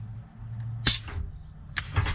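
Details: Peterbilt 379 with newly installed Grand General shifter top, after correcting swapped air lines: two sharp air hisses about a second apart over a low idle, splitter valve exhausting cleanly as it shifts normally.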